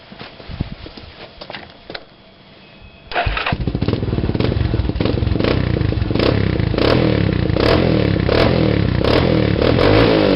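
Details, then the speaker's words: Raptor 350 ATV single-cylinder with HMF Performance Series slip-on exhaust, quiet core removed: started up, loud, raw, crackly open bark at a steady fast idle, baffle insert out, before quiet core installation. "First I'll start it up and show you what it sounds like with the quiet core removed."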